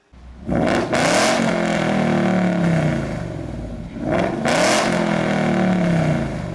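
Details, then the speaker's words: Ford Mustang GT with 5.0 Coyote V8 on its stock exhaust, revved twice: each blip rises and falls away with some volume but a flat, boomy low drone rather than a crisp note; exhaust drone. "And the stock Mustang setup, it's got some volume, but it's also got that flat droning quality that we wanted to fix."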